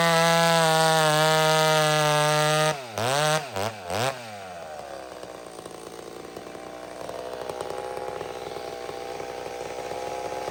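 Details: McCulloch Super Pro 70 two-stroke chainsaw after fix, mixture just fattened: clean steady full-throttle scream, quick blips, even lower drone under load cutting; earlier racing up and down traced to pulse line, possibly gasket sealer in it.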